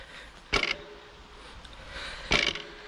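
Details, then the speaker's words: 2021 Husqvarna HC8 e-MTB with EP8 motor: two short metallic clatters, then a plastic rattle, as the rear wheel is dropped; the known EP8 motor clutch rattle. "hört vielleicht dieses klappern gehört einmal das metallische fähige und dann hört man so einen plastik klappern und das ist tatsächlich der motor also das ist dieses ep abklappern"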